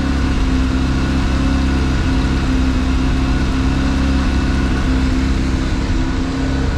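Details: Mazda RX-7 FD rotary idling to warm up after a cold start, no unusual smoke: a smooth, even low buzz holding steady with no misses or knocks; a healthy rotary idle.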